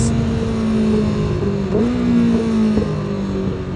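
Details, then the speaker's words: Yamaha R6 motorcycle recorded with an exhaust-mounted mic: revs fall while slowing and downshifting, with sharp pops from the headers; the bike had a cooked stator, leaking gasket and misfire, cause of popping not confirmed. "when I slow down, I downshave. There's like a lot of popping going on under the hood, under the tanks."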